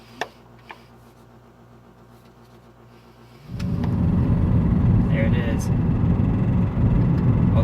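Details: Mazda warmed up on a drive after timing chain replacement, which didn't fix it (cold it only ticked slightly when revved): quiet at first, then pulling hard with a regular deep knock about four a second under road noise; worn rod bearings.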